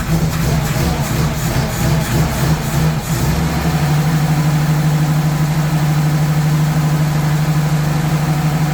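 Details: 1983 Nissan Patrol petrol engine, barn find stored for years, just started after refitting the missing distributor rotor button: uneven revving bursts, then a low, slightly lumpy idle. Running rough, suspected old and possibly leaded fuel; fresh fuel planned.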